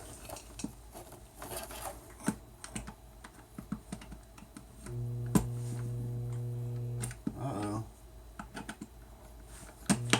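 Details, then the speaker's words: Over-the-range microwave vent fan motor wired for low speed with its 10 µF run capacitor removed: about two seconds of steady low hum without spinning up; motor needs the capacitor to start. "Hear the hum? Apparently it does need that capacitor."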